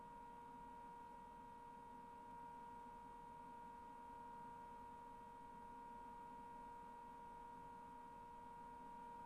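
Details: Brand new LG FWY606WWLN1 washer-dryer during drying: steady piercing high-pitched whine at one pitch over soft airy rush, owner attributes it to the drying fan, unsure whether normal or a fault.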